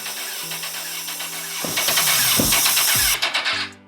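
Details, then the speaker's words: Crashed 2006 CBR1000RR cranking in short rapid bursts that never catch. Ignition pulse and spark are present and cam timing is fine, so no fuel stops it starting. "I didn't really hear anything crazy right now. So, we get some fuel going to this thing and it might just fire up and run okay."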